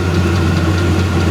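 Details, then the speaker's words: VEVOR 8kW diesel heater, E08 error, gummed from burning waste oil, after cleaning: steady burner roar with faint regular ticking over fan hum, putting out good heat (about 323-342°F), running normally. "yeah this thing's definitely putting out heat it's working good"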